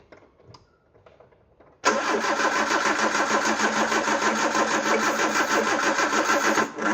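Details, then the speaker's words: Peugeot 309 with a camshaft-driven mechanical fuel pump, carb cleaner squirted in: steady cranking goes on without catching. Owner suspects it needs more petrol and a charged battery. "Not having much luck here, are we? Different track tactic, pour a bit of petrol down the carb, see what that does. Not a lot."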